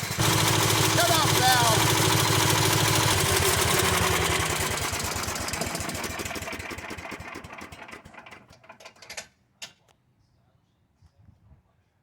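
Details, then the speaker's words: 1995 Yard Man 8 hp chipper shredder engine, after a low-compression repair, fuel turned off; steady idle of about three pulses a second weakens and stumbles out as the carburetor bowl runs dry; normal shutdown. "so it idles a little bit as the gas runs out of the carburetor and then it shuts itself off"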